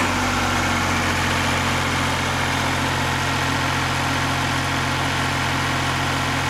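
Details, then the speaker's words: Perkins diesel in welding rig truck after drivetrain and brake repairs, 75 psi oil pressure: even steady thrum with constant low drone, no knocks or misses, slight shake; healthy engine. "sweet running machine you can tell this got a little shaky a key to it but that's not a big deal"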